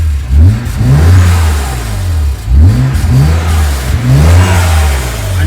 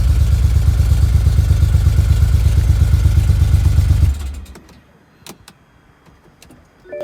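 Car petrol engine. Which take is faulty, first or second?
second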